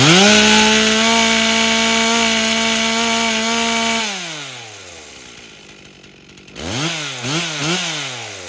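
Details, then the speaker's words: Rebuilt 1998 Stihl 044 Magnum chainsaw with 25-inch bar after carb tuning (high around 13,600-13,700 rpm, low about 2700); steady high scream near full revs, clean drop to idle and crisp blips; throttle-up okay, four-stroking on the high end, healthy. "the throttle up is actually okay and you heard it currently there towards the end as I was throttling it up it was four stroking on the high end which is what we want to see"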